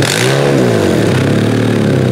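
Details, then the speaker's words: Older Honda CR-V limited to 35 mph with VSA and brake lights on, front O2 sensor removed, being revved: harsh raspy chuffing rising with revs as exhaust and debris blow from the open sensor port. "Oh man, blowing all kinds of junk out of there. Oh, you know what? The reason that we have a lower amount of pressure there is simply because we've got a big opening in the front hole"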